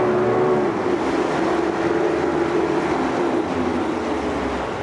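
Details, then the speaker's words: 1988 Yamaha 40 hp two-stroke oil-injected long-shaft remote outboard (40ELG), carbs cleaned, idling on the stand: steady even burble, no misses or knocks; slight vibration buzz from the loose little handle, otherwise a healthy idle. "The vibration you hear is the little handle right here."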